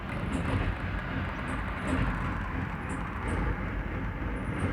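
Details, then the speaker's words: 1999 Ford F150 4.2L with backfire, P0174, raw fuel smell, nearly stalling in gear; rough lumpy idle stumbling every second or two, bank 2 long-term trim about 10% lean, suspected crossed ignition wires causing misfire. "This almost sounds like there's a potential chance that we may have misrouted ignition wires."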